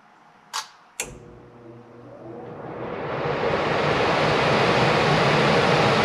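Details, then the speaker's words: Furnace blower motor just lubricated and reassembled: two switch clicks, then the fan spins up to a smooth, even rush of air with no squeal, scraping or noise; normal blower operation. "and it's working great i don't know if you can hear me but it doesn't make any noise that's great"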